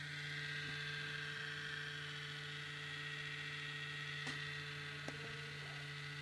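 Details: MacBook Pro, not under processor-intensive load: steady loud electrical buzz with fixed low tone and whiny overtones, unchanged over time; abnormal noise from inside the laptop, cause unknown.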